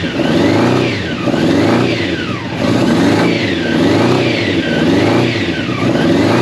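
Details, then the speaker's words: Old Honda CBR600 track bike, long unused, first start with fuel pump running and choke just off: steady blips about once a second, each rev climbing and dropping evenly, slightly boggy until warm; it runs. "right switch that off because it gets smoked out here I'm gonna have to open the door but that's a win and that's a win the free bike she runs"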